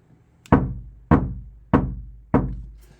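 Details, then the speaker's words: Kia Sportage NQ5 facelift, untreated rear passenger door: knuckle taps at the panel centre with equal pressure give a low, hollow, slowly fading boom. This is resonance of the empty door cavity, which is bad for music playback. "어 이렇게 이제 안에서 울리니까 웅웅 하는 소리 나죠. 약간 그거 자양음이라고 봐야 되겠죠."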